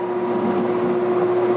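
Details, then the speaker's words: 1967/68 Clausing Colchester lathe parting off a threaded button for a hydraulic shaft with a slightly heavy hand feed: steady mid-pitched squeal; parting tool chatter from heavy feed and too little cutting fluid. "gotta be careful when you hear that noise need a little bit more fluid parting requires seems to me a lot of fluid if you want to not dink around with partnering and take all day"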